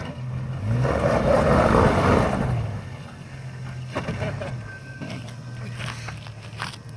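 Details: Jeep Cherokee ZJ slowing: a rough scraping groan with a low steady moan swells for about two seconds, then settles. Brake noise, cause unclear.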